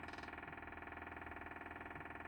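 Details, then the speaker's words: Onan QD 7.5K generator set during rebuild, prime button pressed with the engine not running: fast, even ticking pulse of about twenty beats a second as the fuel pump primes normally. "You can hear that pumping there, just priming its little heart out."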